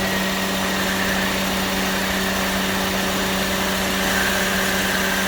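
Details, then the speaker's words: AC compressor with a variable swash plate kicking in at idle: a constant low groan with a faint higher whine as it engages, indicating insufficient compressor oil, which was fixed by topping up the oil. "Now, what that tells you is when you have this kind of little groaning noise right there, is insufficient oil."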